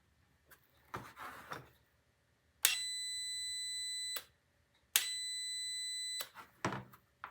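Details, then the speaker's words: Starter solenoid bench test with battery cables and multimeter: solenoid clicks as magnet pulls in, then two steady meter continuity beeps showing the contacts close; solenoid is good. "big clunky battery cables you can hear that clicking that means the magnet's working doesn't mean the switches work"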